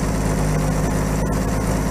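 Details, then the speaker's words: 1950 Chevy that sat outside for 21 years, idling after a slight carburetor adjustment with the ignition jumped. It gives a low, steady, even idle with no hunting, and the radiator is warming properly. "oh my god look at this thing it's just purring"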